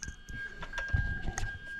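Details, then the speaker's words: Reverse warning buzzer on a new plug-and-play harness adapting a Toyota 1JZ-GTE VVT-i JZS171 Crown engine into an Altezza RS200 with J160 gearbox, bench-tested by bridging the reverse switch wire; steady high-pitched buzz over handling clatter, works as it should. "there it is just bridged and you can hear that annoying reverse beat okay so we're happy with that we know that works as it should"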